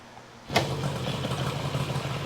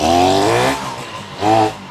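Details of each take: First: 1972 Yamaha LS2 100cc two-stroke twin, 784 miles, after carb clean, restarting after shutdown: engine catches at once and settles into a light, steady idle; starts as it should, normal start. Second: 1972 Yamaha LS2 100cc two-stroke twin, 784 miles, running with only the float bowls filled: engine surges, sags, picks up once more, then fades as it runs out of gas; fuel starvation.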